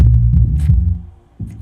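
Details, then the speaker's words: JBL PSW-D110 subwoofer after repair of a loud hum (a defective main filter capacitor; all main capacitors replaced and the board resoldered): deep, clean bass thumps with no buzz or hum, so bass output is normal and the unit is repaired. "it is producing base there we go it is repaired"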